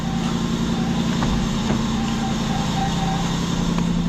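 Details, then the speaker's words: Lexus LS400 idling: thin whirring whine over steady idle, swelling and fading; worn idler pulley bearing, before replacing belt, tensioner and idler pulley. "so yeah y'all can hear that noise pretty loud right sometimes it's louder than other times"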